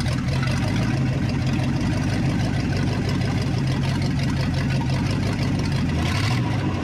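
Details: 1961 Chevrolet Parkwood wagon V8, timing set by ear without verified top dead center: deep, even idle with a steady low rumble and no misses or knocks; normal idle.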